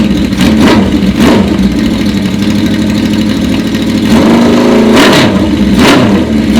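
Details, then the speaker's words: 1980 Honda CB650 bobber, started on choke after switching to the custom pipes built from the stock pipes. Strong, steady exhaust note with sharp, clean revs and no puffing or ticking. No exhaust leak; it sounds fantastic and runs better. "Wow, sounds fantastic. Oh my God, it sounds so much better. No exhaust leak. Actually, feels like it runs better too."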